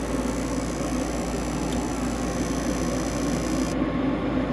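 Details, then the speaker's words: Rheem 90%+ gas furnace that randomly blew cold air, after the drain elbow was reattached at the inducer motor outlet and the unit drained: steady even rushing hum of inducer and burner, the earlier swishing gone; running normally. "so dropped that just some five minutes hooked up the elbow she's drained i don't have that swishing sound anymore"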